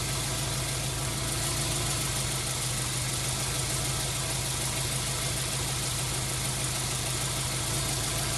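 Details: 1999 Subaru WRX GF8, EJ205 turbo flat-four, after a coolant flush, cap on and system under pressure, running until the fans cycle: even, steady idle with a low pulse under fan hiss; normal warm idle.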